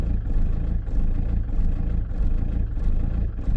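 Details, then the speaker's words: Diesel van idling after replacing the fuel tank lift pump/solenoid and the fuel filter, once the new pump had primed; an even diesel clatter with no misses or surging, sounding much healthier. "that sounds a lot healthier already"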